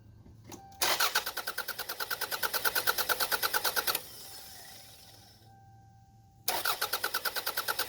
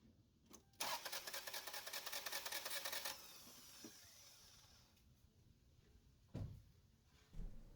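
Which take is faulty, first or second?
second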